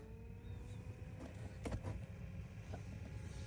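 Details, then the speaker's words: 2016 Toyota Sienna LE after installing a new A/C blower motor, engine idling. Steady fan whir rises to high speed, smooth and free of rattles or squeal: blower working fine after the repair. "So, as you can hear, the speed's going up. And that's a high speed now. Okay. So, as you can see right now, it's working fine."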